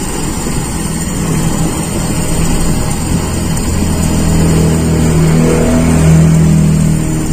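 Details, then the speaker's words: Toyota Kijang Super idle simulated with an intentionally smaller idle jet (second air bleed unchanged), giving a too-lean idle mixture: hard to keep running, idle speed raised higher than with the standard jet; fast, slightly uneven idle with low throb. "Campuran stasioner yang terlalu miskin. Nah, itu agak susah hidupnya, Teman-teman. Dan itu perlu lebih saya naikkan. putaran stasionernya lebih tinggi."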